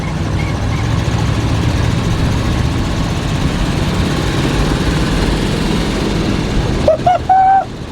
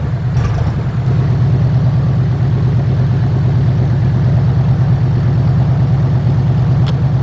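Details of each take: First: 1976 GMC Vandura 3500 motorhome V8, cold carburetor, under way: deep, steady low rumble with no exhaust puffing or ticking. It sounds smooth and quiet; normal running. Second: 1976 GMC Vandura 3500 motorhome V8 idling while warming up, after new plugs, cleaned distributor and rotor contacts and an oil change: low, loping idle with occasional dips. It is much improved but still stumbles now and then; cause unknown.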